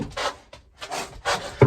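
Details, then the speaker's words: Squeaking, creaking stair tread that bounces underfoot on a roughly 40-year-old 1980s staircase, where the wedges under the steps have worked loose over time; dry wooden rubbing in short bursts as the tread flexes, before repair from below with timber and screws. "this staircase, that's the step, bounces back"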